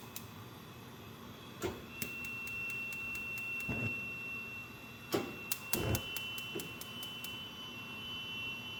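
Crisp, uneven ticks about three or four a second over a faint steady hiss, a gas range clicking away with no clear cause. Cause suspected, not confirmed.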